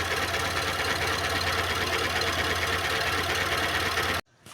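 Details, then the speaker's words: Renault Clio engine running with an uneven, stumbling tick over a low hum, roughly three beats a second; a misfire blamed on a valve not sealing properly in the cylinder head, which is to be removed and sent for machining. "válvula que não tá vedando aí direito então fica aí esse problema no carro"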